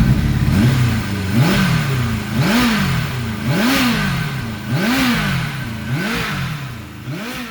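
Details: 1991 Kawasaki ZXR750 with twin Toyota Supra turbos and aftermarket ECU, first runs: engine blipped roughly once a second, ragged stuttering revs with pops; running badly rich and misfiring, plugs came out sooty black.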